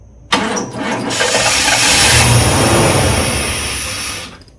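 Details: 1991 hearse with a rotted fuel system, on a start after 2.5 gallons of fresh gas and a new fuel filter: cranks briefly, roars up on starting fluid, then dies within seconds; throttle body suspected.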